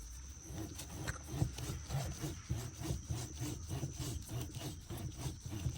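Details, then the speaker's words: 2014 RAM 1500: worn front wheel bearing turned by hand gives a gritty, rasping rub in uneven bursts. It is hard to turn and gets stuck instead of spinning smoothly, and made noise while driving; the noise is gone after replacement. "the bearing should spin smoothly and steadily but if you try to spin this one it's hard to it's hard to turn but also it gets stuck"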